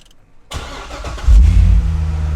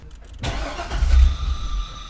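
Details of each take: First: Wrecked C6 Corvette Z06 with a manual gearbox and 17,030 miles starts after a fresh OEM intake manifold and a replacement fuel tank/pump. Brief crank, clean catch, then a deep steady idle; oil pressure good, coolant warming up, a healthy start. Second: Wrecked C6 Corvette Z06 after a new key fob battery: the starter cranks and the engine catches for a brief low rumble, then fades. It had never fired before, and the fuel pressure gauge showed no fuel pressure.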